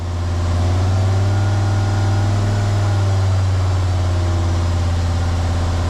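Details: Jeep WJ Grand Cherokee 2.7 CRD diesel with injector problems, held at a raised idle during intake cleaning; deep, even drone with no knocks, and the smoke is much reduced, though the exhaust is thought full of gunk.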